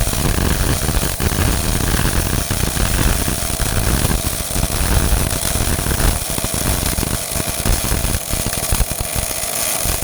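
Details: Old Miller-Matic 251 MIG welder at 21 volts and 366, welding pipe fittings: a steady crackling sizzle with even spatter pops and no stutter or breaks, a stable arc at proper settings; normal MIG welding arc.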